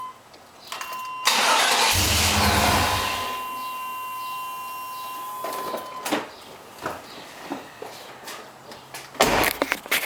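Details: Tahoe no start: engine turns over for a couple of seconds with a steady whirr, then only scattered clicks, never catching; cranks but doesn't start.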